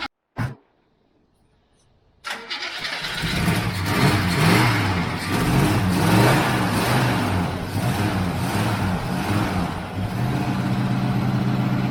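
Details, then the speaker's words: 1966 El Camino barn find, first start after 12 years not running: short crank, then catches and settles into a steady, even idle with a smooth rumble; engine running healthy. "Sounds good. 12 years! 12 years she ain't run."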